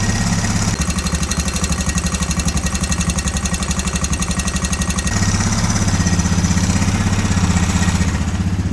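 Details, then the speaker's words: 2004 Honda Recon 250 ES ATV, just after a valve lash adjustment, idles on low fuel with an even single-cylinder putter of about four beats a second and no valve ticking. It sounds better: normal idle. "I mean, right away I think it sounds way better."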